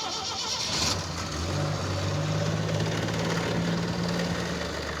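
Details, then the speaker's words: AMC Pacer on a road trip from Salmon, Idaho into Montana, pulling away, temperature 185 degrees: rising low drone with coarse overlay; suspected clutch coming apart, not confirmed. "What is that noise? It sounds like the clutch coming apart."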